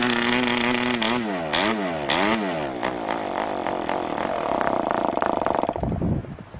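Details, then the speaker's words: New PAW 40 TBR model engine, first break-in run on recommended PAW break-in fuel, 12x5 Grish prop, vibrating clamp-style mount; rough buzzing run sagging and surging, pitch wandering, then fading out; rich, under-compressed setting. "oh that was rich and under compressed so i can see if i can fire it up again like that"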